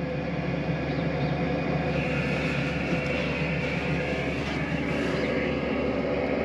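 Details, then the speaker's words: 2KW diesel heater (Max Speedy) in a VW T6 camper, first switch-on at maximum with pump silencer cover fitted: steady roar of fan and burner, diesel pump ticking slightly but quietly, hot air coming through; running normally. "i can hear the pump slightly ticking it's quite quiet yes we have hot air yes it's definitely warming up"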